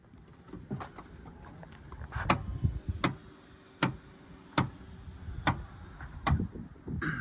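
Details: 2015 Subaru, 110,000 miles, power liftgate opening: sharp, evenly spaced clicks about every 0.8 seconds over the motor hum; the internal spring near the lift motor pops as it rotates on its post and needs white lithium grease.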